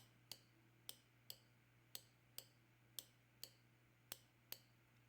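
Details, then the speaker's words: Fuel injector from 1989 Oldsmobile Toronado bench-tested off engine on roughly 9–13 volts, drawing about 0.4 amp: crisp even clicks about twice a second over faint hum; injector working normally. "But 9 volts or 12 volts or 13 volts or whatever, if the thing is working, you can hear it. I hope you can hear it clicking."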